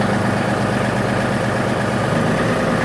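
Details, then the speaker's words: 2018 John Deere 3038e diesel tractor, after cleaning the crank or cam position sensor that caused intermittent crank-no-start code ECU A 523249.05: fires right up to a steady, even idle with a smooth low rumble, no misses or knocks; normal idle. "But now, she fires right to life. Awesome."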